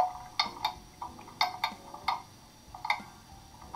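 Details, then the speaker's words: German mantle clock that stopped after running down, catching at the top during crutch and pallet adjustment: uneven tick-tock, two sharp ticks then a gap; escapement beat not yet even. "now it's catching at the top"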